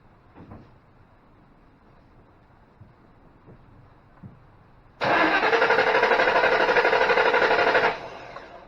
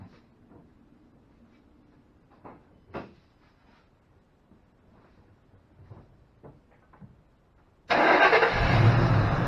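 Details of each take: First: 2005 Ford Mustang GT that drove to work then wouldn't start: three seconds of even cranking that never catches; scan tool shows excessive mass airflow, so it dumps fuel and floods; faulty MAF sensor suspected. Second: 2005 Ford Mustang GT after installing a new Ford OEM sensor replacing a cheap aftermarket one: clicks, then a clean strong start and even run; fuel pressure about 33 psi, within 33–35 spec.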